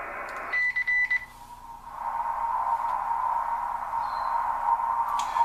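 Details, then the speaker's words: Kenwood TS-940 transceiver after Compudigital power supply upgrade, no antenna connected: a few beeps then constant high hiss under the receiver audio; noise present but very deep, less with outside antenna, source not pinned down. "let's hear all those ones with no antenna there's definitely noise in there but it's very deep and here very very deep in there"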